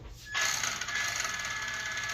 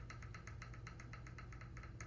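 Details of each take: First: RC car after replacing worn parts with new ball bearings and a new steering servo, rear end tested: fast high-pitched whirring with rough ticking clatter cutting in and out; owner suspects rear end or gears, clicking cause unknown. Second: Model vehicle during worn-parts replacement, motor mount adjusted for gear mesh: light, crisp even ticking over a soft motor hum; a little clicking, gear mesh set just right.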